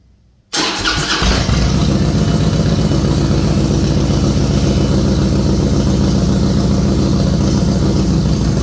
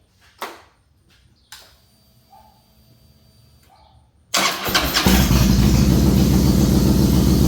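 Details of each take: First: A 2007 Harley-Davidson Softail with a Screamin' Eagle 110 is started during a starting and charging test. The starter churns, then the engine catches into a loud, lumpy idle with heavy clatter at about four beats a second. There is no engine light and it runs great once running. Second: A 2007 Harley Softail with a Screamin' Eagle 110 is started after a new compensator was fitted, filled up and the clutch inspection plate refitted. After quiet clicks it cranks, catches cleanly and settles into a steady, even V-twin idle. Normal start.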